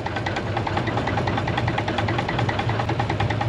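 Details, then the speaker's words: Diesel-fired Steam Jenny 200 Plus steam cleaner: the burner keeps a steady roar with a low hum and fast pulsing flutter even with the fuel valve fully closed. The owner suspects a faulty valve passing too much fuel. "I think I hear Flames already and that valve is all the way close"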